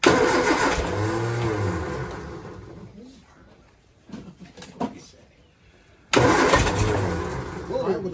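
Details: 1966 Triumph Spitfire with timing, carb, linkage and battery problems: it cranks, catches briefly, dies, then cranks and fires again without settling to idle, so it is hard starting. Helpers suspect excess fuel or poor ignition points; unconfirmed.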